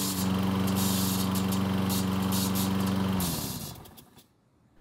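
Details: Troy-Bilt lawn mower after gasoline and oil leak repair, started with a single pull: small engine drones with a rapid metallic ticking until it cuts out; the starter pawls are striking the flywheel posts.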